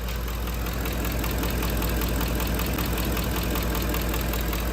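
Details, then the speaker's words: 2010 Ford F-150 5.4L 3V Triton V8 idling: light, quick ticking from the roller followers, not phaser knock; it speeds up with rpm. "So it's not a phaser knock. That is a tick from the followers. It's a lighter, tinier tick. And if you rev the engine up, it'll go, of course, faster with the engine RPM."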